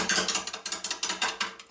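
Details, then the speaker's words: Maple burl bowl blank on a lathe at about 300 rpm spindle speed: rapid sharp ticking, six or seven per second, as the tool cuts and misses on the uneven corners. Pressing the tool down more firmly to try to stop it kicking too much. "a little bit because it's cut and miss and cutting and missing trying push down on the tool a little bit more firmly than you normally would to try and stop the door from from kicking too much"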